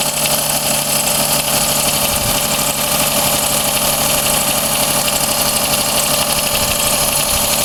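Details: Daihatsu Cuore L7 EJ-DE three-cylinder petrol engine, genuine 135,000 km, steady idle with a fast, light metallic tick of about three per second. Tick rises with revs, is not from the cylinder head, fades as the engine warms but never fully stops. New filters, plugs and 0W-40 oil. Source unconfirmed.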